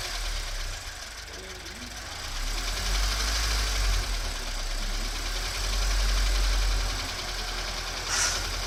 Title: BRZ エンジン異音①